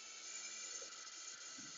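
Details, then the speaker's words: Air leak from the SR-7 spring brake valve on a 2007 Freightliner M2 garbage truck (Cummins ISB 6.7L diesel) with the park brake indicator always on. Service brake is applied, and a steady, quiet high-pitched hiss escapes past an internal leak in the valve. "so we've got something inside the spring brake valve that is allowing air to leak out through this"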